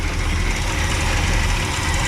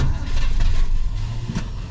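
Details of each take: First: 1967 Pontiac Grand Prix convertible, 400 cu in 350 hp V8 with dual exhaust, first run after years sitting: deep, steady, slightly loping idle, shaking a little, no funny noises or valve noise, no fuel puddle; normal idle. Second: 1967 Pontiac Grand Prix convertible, 400 cu in 350 hp V8, long-stored, cold-blooded: slow, heavy, surging cranking that struggles to spin the engine without catching; faulty starter.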